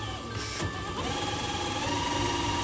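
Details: HB R1001 Ford Bronco RC crawler, after fix: shift servo linkage lengthened two turns. Small electric motor whine rises and settles evenly, with no grinding or clicking through the change. Gearbox shifts cleanly.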